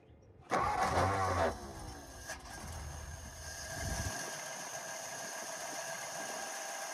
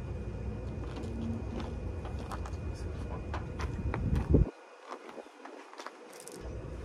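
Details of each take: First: Forgotten 1954 Ford Mainline first start: brief crank, then it catches cleanly and drops into a very quiet, smooth, even idle with no knocks or misses. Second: Forgotten 1954 Ford Mainline, spark checked while cranking: uneven cranking at about three to four turns a second for four seconds, never firing; no spark, so no start.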